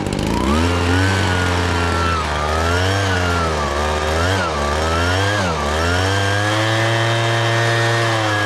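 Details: Husqvarna 435 X-Torq chainsaw after fitting a replacement part with a slightly different face: a steady buzzing two-stroke idle with only slight pitch wander; holds idle evenly and sounds healthy.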